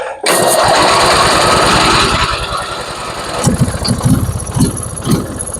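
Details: Twin-cylinder Craftsman riding mower after new ignition coil fitted for a no-start: fires straight up and settles into a steady chuffing run as throttle eases back; normal running, only needs fresh gas.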